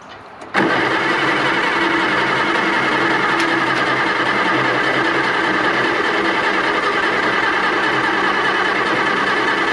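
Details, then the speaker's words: 1960–63 International Cub Lo-Boy tractor, sitting 10+ years, fresh gas added, on a weakening jump box: the starter churns steadily at about 3–4 turns a second for nine seconds, rust blowing from the stack, never catching. Extended crank, no start. "Well, we got it cranking. As you can see, all this, that's spilled gas, don't worry about that. All this rusting stuff is coming out of the stack."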